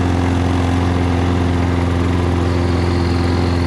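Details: Toro Recycler with a Kohler XT675 engine idling, which surges occasionally; the vibration noise stops when the loose front black bumper is held still, leaving a steady, even single-cylinder putter, and the bumper is to be screwed down.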